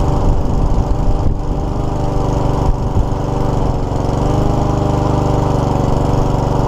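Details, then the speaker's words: Troy-Bilt lawnmower with a Honda GCV160 engine, oil slightly overfilled. It reportedly cuts out when the self-drive is used. Here the single-cylinder runs fairly steady with a brief early dip, so the cutting out isn't heard; cause unconfirmed. "they said it was stoic it runs but soon as they start to use it it cuts out so let's see if it starts in the first place and simply could figure out what the problem is"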